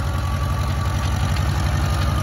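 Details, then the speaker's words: McCormick Farmall Cub tractor, roughly 1950s–60s, hand-crank started in neutral with gas turned on: low, even thrum with a steady beat and no knocks or misses; small old petrol engine idling smooth, normal idle. "you just put turn the gas on oh wow it's running it's as easy as that"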